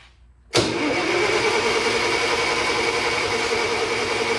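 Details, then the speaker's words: International 140 Industrial tractor, hood and gas tank off, in about 104° heat, with an old external resistor rigged in: starter cranks at a steady churning pace but never fires. Rotor turns, no spark; owner suspects a bad key switch and plans to hot-wire it. "oh boy major problems verifi the rotor button is spinning I'm going to have to go get my electrical meter see what output we've got here"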